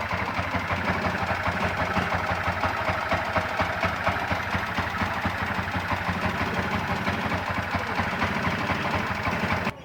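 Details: Yamaha MX King (YR15) single idling with quick, uneven ticking from the cylinder head before teardown; valve train noise attributed to worn valve clearance caused by a high-duration camshaft.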